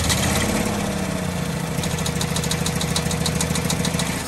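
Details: 1948 Ford F-5 ex-ice truck, first run after about 45 years sitting: rough idle with light uneven tapping, about three per second. Owner believes the number six lifter sticks and pops back, not a bottom-end knock.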